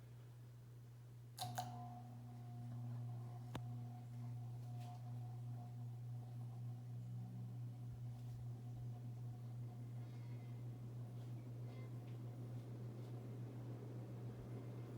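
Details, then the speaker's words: Early-1980s 36-inch Hunter Original ceiling fan, shaded-pole non-reversible motor converted from two to three speed: steady low electrical hum with a faint higher tone spinning up to high; may benefit from an isolation ring. "this motor is of course shaded pole and non reversible so let's start with a spin up to high"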